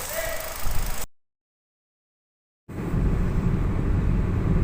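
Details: Hyundai Grand i10 1.2 petrol after repair of valve/hydraulic lash adjuster knocking and hard-starting problem: after a short gap it settles into a smooth, even low rumble with no top-end ticking, a healthy quiet idle.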